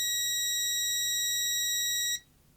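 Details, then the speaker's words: Parkside PDM 300 C3 autoranging multimeter, continuity mode with leads shorted: clean steady high-pitched tone about two seconds then cut off; buzzer responds solidly, no sampling clicks. "that's quite good I like that"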